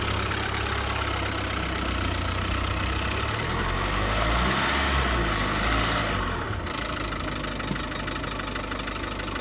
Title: Ford rattling sound #1